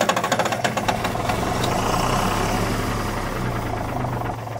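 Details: 1997 Kershaw Klipper right-of-way trimmer diesel, smoking white: turns over with loping chug about three a second, then steady drone, never fires; injection pump fuel solenoid not getting power.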